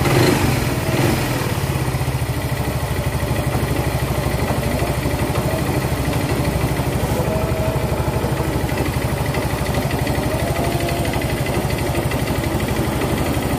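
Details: Yamaha Mio Z fitted with a new block and piston set a few months earlier: loud rapid steady metallic clatter at idle; worn piston slapping in a scored bore plus a loose connecting rod.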